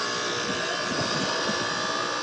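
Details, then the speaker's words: Trane 5-ton R410A condenser made 9/2020, whose compressor would not start (only the fan ran), after a hard start kit was fitted: steady hum and fan rush. The compressor now runs normally, drawing 19 A against a 20.8 A RLA. "y ya ahora sí encendió"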